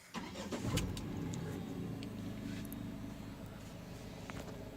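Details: Tata Altroz naturally aspirated petrol engine, delivered November 2020: cold start cranks briefly and catches at once, then settles into a steady, even idle with no knocks or misses; healthy start.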